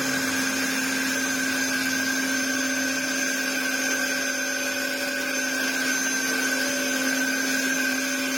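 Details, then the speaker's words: Dyson DC07 Clic (limited edition) after restoration and replacement parts, with a broken clip on the clutch cover area. While vacuuming, a steady motor hum carries a thin, constant whistling tone. Owner unsure whether a part is warped; cause not confirmed. "it's just a shame it sounds like a shark cylinder I mean it's this part whether it's a bit warped I don't know"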